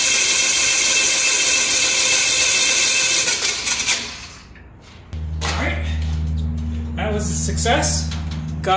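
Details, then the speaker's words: Aircraft engine, plugs out and mags off, first crank in four months with the new prop: steady, even starter whir at a constant low pitch with no grinding, reaching 30 PSI oil pressure; starter getting warm. Normal starter cranking. "that's uh about as long as I want to run the starter it's uh it's getting a little bit warm but uh that seems to have worked well"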